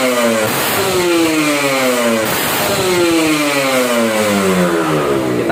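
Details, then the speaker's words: Restored Kawasaki Ninja RR SE two-stroke with new RC3 L-neck 39 expansion exhaust, tuned to pilot jet 27.5, main jet 270, KX reeds: crisp blips climb fast and drop cleanly with no bogging near the top, unlike the earlier 10,000 rpm ceiling; healthy. "rpm nya kurang lebih suaranya seperti itu ya RPM udah bagus setelan juga udah bagus"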